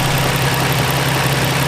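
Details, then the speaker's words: Newly installed replacement engine (20W50 oil, new catch can, test pipes, flywheel, oil cooler), first running, heard from the front: smooth, even idle with light quick injector tick over a steady low hum; normal idle. "nothing but normal stuff, just injector ticking and smooth drivetrain. This thing runs so quiet, so good, so smooth."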